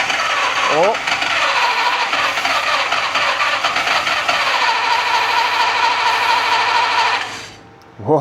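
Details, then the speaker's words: Mercedes Unimog 404, first start attempt: cranks, catches and runs ragged about a second on sprayed fuel then dies; spark and ignition fine, no fuel in the system. "So, what that tells me is obviously we don't have any fuel in the system."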